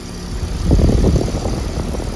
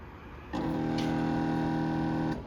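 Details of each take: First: Bard HVAC unit restarted during a no-cooling refrigerant-leak call: a low rumble swells as the compressor and 800 RPM fan come up a little slowly, then settles into a steady drone. It runs normally, with the fan at 0.5 A and the unit at 8.5 A. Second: York outdoor AC condenser with a cooling call and contactor pulled in: steady electrical buzz for about two seconds as the compressor fails to start, caused by a bloated failed 30/5 run capacitor.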